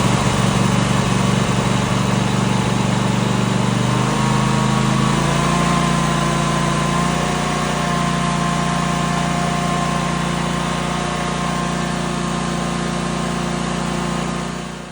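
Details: Husqvarna RZ 5424 zero-turn mower with Kohler single-cylinder engine, after no-start fix and tune-up (new plugs): smooth steady idle, slight pitch rise as idle is raised, then clean shutdown; runs healthy.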